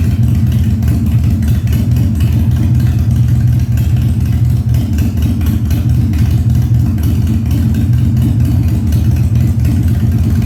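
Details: 1997 Harley-Davidson Fat Boy after carb cleaning, new spark plugs and new battery, no air cleaner fitted; cold start on choke at 70°F, humid. Deep, even V-twin thump picking up cleanly when revved, no popping, spitting or backfire; revs normally.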